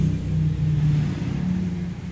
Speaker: Kerusakan kalau dihidupkan suaranya dengung dan baling-baling tidak berputar. Baling-baling kipas tidak berputar.